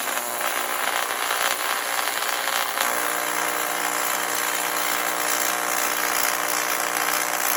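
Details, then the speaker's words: 1993 TIG/stick welder after a new HV impulse arc-starting transformer; a bright, steady hiss and settled hum with no sputter or dropout, a stable arc melting aluminum. "Yeah, boy, it melted it. I think I'm going to be able to weld 1/4 inch aluminum again with that."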